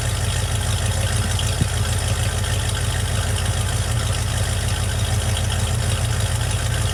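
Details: Project truck warm start after vacuum leak fix, reassembled intake, rebuilt rear end and painted exhaust: steady even low rumble with no stumble or hiss; smooth healthy idle.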